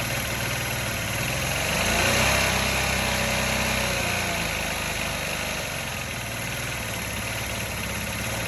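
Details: Honda Elite 80 scooter on the bench, carb cleaned and oil changed, idling after idle air screw adjustment. Small engine ticks over quickly and fairly evenly, revs briefly rise then settle to a steady, properly set idle.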